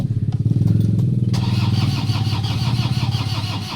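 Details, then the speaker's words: Toyota Hilux with check engine light, no-start: starter churns about three and a half pulses a second with no firing, cranks but won't start. "start natin no Ayaw umandar mga boss"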